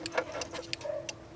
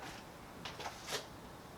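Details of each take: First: 2000 Jeep Cherokee XJ after flasher replacement, ignition on, turn signal on: crisp clicks in pairs about every third of a second, still flashing steadily two minutes later, previously stopped within 30 seconds. Finding: normal turn signal flasher operation. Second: 2000 Jeep Cherokee turn signal: a few light flasher relay clicks, then faint scattered ticks, blinking only 1–3 times before stopping, both sides, lights or brake on or off; suspected failing flasher, possibly switch or wiring.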